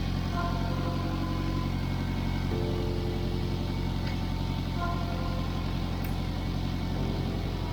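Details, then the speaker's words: Exhaust at idle, heard under the car with music over it: a raspy puffing leak where the joint between the rear muffler and the forward pipe has broken completely off; fixed with a clamp joint and exhaust mounting paste. "broken off [Music] completely off here so there is not compressing as it should no wonder this is making noise"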